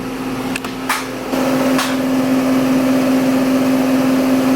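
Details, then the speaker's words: Washing machine on spin cycle gives a loud steady low hum with faint fast pulsing; owner says it's just noisy, likening a previous one to a Lamborghini accelerating; cause unclear. "one's just noisy. I had one before in another place that it almost sounded like a Lamborghini like engine accelerating or something"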